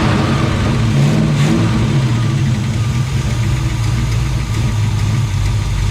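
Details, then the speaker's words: Chevelle barn find, sat 15+ years, now running on a temporary electric fuel pump replacing the failed mechanical one: catches, revs briefly, settles into steady even idle with no knocks or misses; engine healthy, zip-tie bracket melted. "It runs. It melted my zip tie bracket, but I guess that's okay. We're gonna have to replace that. But it runs."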